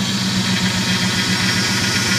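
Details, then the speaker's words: Dodge Ram 1500 after replacing a power steering pump with a snapped shaft: idle with a throbbing drone and hissy whine as the steering is turned lock to lock; air in the system after refill, being purged. "okay back the other way to FP line a bit got a bit air in it"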